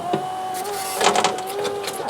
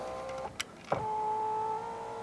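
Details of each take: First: 2014 Fiat 500L salvage car, driver's door electric window tested after reconnecting the battery: motor whirs with a rough, uneven scrape throughout the travel; cause unconfirmed. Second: 2014 Fiat 500L salvage car, working-side power window: a click, then a smooth even motor whine holding steady about a second; normal operation, while the driver's door window fault is suspected to be its wiring loom.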